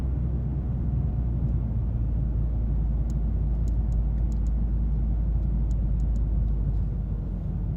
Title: Clicking sound - Mazda 3